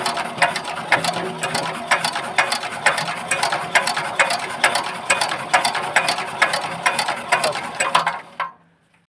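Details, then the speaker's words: Bharat Z170F 4 hp diesel engine, rebuilt after its oil chamber burst; a fuel-pump setting problem was found. Crisp, even clicks about twice a second on injector test, with good spray; nozzle chattering properly, no misfire expected. "Finally বন্ধু আপনারা নজলের sound শুনতে পেলেন, sound এবং spray উভয়ে কিন্তু খুব সুন্দর চলে আসছে। তো এতে করে বন্ধু বোঝা গেল যে ইঞ্জিনে কখনো কিন্তু আপ ডাউন আসবে না।"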